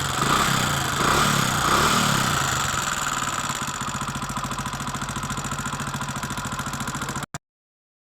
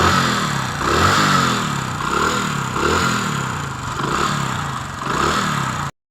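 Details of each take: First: Hero Honda Splendor motorcycle at idle before tappet adjustment: even idle with a crisp, light tick about three to four times a second; tappet tick from excessive valve clearance. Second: Hero Honda Splendor single cylinder, inspected for a tappet tik-tik sound with tappet setting: revs up and settles a few times with an even beat and no top-end tapping. Normal running.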